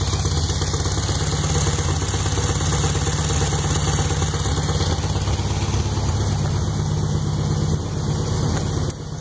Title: Startup after rebuild 1641cc -pop noise/knock nois